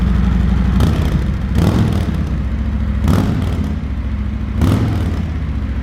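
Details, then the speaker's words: 2020 Harley-Davidson Road Glide Special, 114ci V-twin, stock exhaust before D&D Billet Cat 2-into-1 install: deep, lumpy idle with steady low rumble and gentle swells about every second; runs evenly, healthy. "So what I'm gonna do is start the bike up, let it run so you guys can hear what it sounds like stock, and then I'll start the bike up afterwards and let you guys hear what it sounds like with the 2-in-1 Billet cat."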